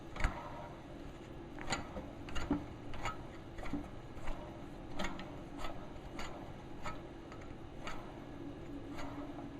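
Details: Delta 22-540 planer after reassembly, a soft steady rumble with light even ticks about one and a half per second; the bearings turn smoothly and sound great.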